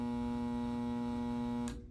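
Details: Shop humidifier autofill set to shut off at 4.5 inches water level: steady electrical buzz holds evenly, then cuts off with a click near the end as adjustment screw is turned; fill solenoid energising and switching off normally.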